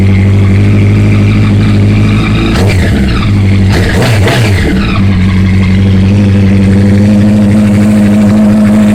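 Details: 2008 Honda CBR1000RR idling on the third start after a thud when shifting into third on the interstate, with what may have been white smoke near the triple tree under hard acceleration: a loud regular clacking about four times a second, briefly masked by a throttle blip. Cause unknown.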